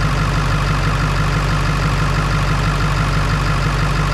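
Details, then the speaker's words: Ford 7.3 Power Stroke diesel idling after fixing a battery connection that caused slow cranking: steady even clatter, firm low rumble, no misses; 14.37 V on both sides. "we got 14 3. 14.37 on both sides and she's cranking strong so I think that fixed our problem"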